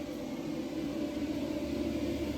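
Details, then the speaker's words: Extractor blower venting air outside through a duct, speed set by a light-switch dimmer: steady, even airy whoosh with smooth low hum, not too loud, no rattles or speed swings; extractor fan sounds healthy. "You can hear the noise. It's not too bad, not too loud."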